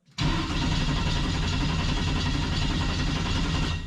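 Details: 1973 Chevrolet truck with a 6.0L LS swap, first start after making the fuel pump wiring permanent and tying into the factory harness and speed sensor. The starter churns steadily for about four seconds with no firing. Crank, no start.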